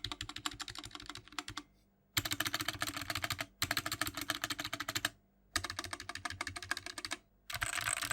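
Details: BlitzWolf BW-KB0 60% hot-swap wireless mechanical keyboard: fast bursts of sharp, clacky keystrokes with a loose, rattly edge on the bigger keys; the stabilizers rattle a lot and sound pretty bad.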